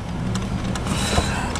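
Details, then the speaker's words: Dell Inspiron laptop that was overheating and shutting down: cooling fan run from a bench power supply. Steady, even whir with no scraping; dirt had probably been blocking the blades. Bearings sound good. "look at that fan works perfectly so my guess is you know that piece of dirt in there was blocking the the blades from turning that fan sounds good"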